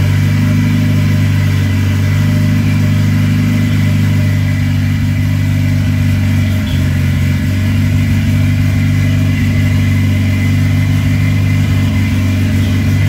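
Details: Ford Escort with turbo, R1000 injection and wideband, first start after fitting: steady, even low rumble with no knocks, misses or surges; air pressure fine; idling cleanly.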